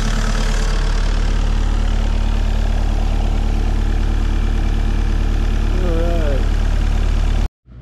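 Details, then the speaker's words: Mini excavator diesel, started after priming with key-on electric fuel pump: steady even low diesel idle, no misses or knocks, settling smoothly before shutoff; normal idle. "she would have been on running after cranking let's see what she'll do here"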